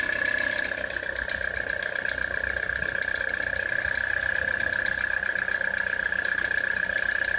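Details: 2013 Citroen C4 cold start in frosty weather: cold idle with fast uneven light knocking, about three per second, over steady hum; engine knock, origin unclear.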